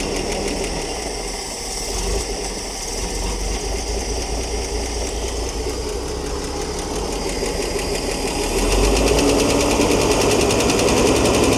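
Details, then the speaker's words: Ford D Series petrol fire truck idling roughly just after reviving from 16 years of sitting, with an even valve-train ticking about four a second. Owner suspects a flat hydraulic lifter not yet charged, unsure of lifter type; ticking later faded. "I don't know if they got hydraulic tappets. Sounds like one of those is flat and not charged up."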